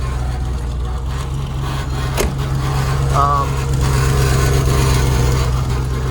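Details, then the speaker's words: 1989 Range Rover Classic SWB, cold start after a DIY patch of the exhaust separated after the cat: a steady, even low idle rumble with no puffing or ticking. Exhaust sounds sealed; one small piece still unsealed. "actually that actually sounds fairly reasonable"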